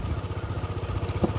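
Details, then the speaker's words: 2016 Piaggio Medley 125 scooter warming up at idle: lumpy single-cylinder idle that almost dies, with an occasional odd brief clack; engine tends to stall, owner suspects spark plug or injector; intermittent abnormal idle noise. "see there all it will almost uh almost die and sometimes it has like uh this noise and like"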